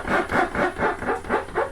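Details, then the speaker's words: RV living room slide (Accu-Slide cable system) after about six months full-time use: rhythmic loud squeaks about four a second as dry slide bottom rubs the plastic bar, jerky motion stressing the motor; fixed with silicone lubricant. "our biggest slide in the living room was kind of jumping as it would come in so it make a really loud squeaking noise and it would cause the motor to stress"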